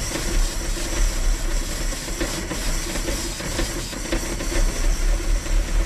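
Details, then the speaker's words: 1968 Dodge Charger, 318 with two-barrel carburetor, sitting in a field since 1984: rough, uneven low chugging with hiss, never settles, won't keep running; owner suspects junk carburetor not delivering fuel. "yeah it's not leaking anywhere though but it must just not be getting any fuel but it does run"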